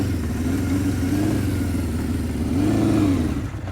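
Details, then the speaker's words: 1978 Honda CB550K on first ride in months: engine note wavers, sags and stumbles instead of pulling cleanly, losing power; owner suspects a fuel issue, debris in the fuel. "that's definitely a fuel issue oh let's see yeah it sounds like I got trash in"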